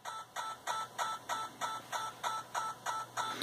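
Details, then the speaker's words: Yaesu FT-891 radio receive audio: crisp evenly spaced clicks about three per second over low hiss, in time with the computer interrogating the radio; digital interference on the receive line. "it's just easier to hear if I turn the RF gain up or down so that only the the noise and the radio decreases and now I can very clearly hear digital interference on the receive line as the computer interrogate the radio"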